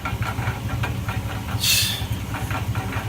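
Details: 2004 GMC Sierra 1500 at idle: rapid, regular low knocking with a brief hiss that sounds like rod knock, yet oil pan inspection found the bottom end clean; catalytic converter suspected.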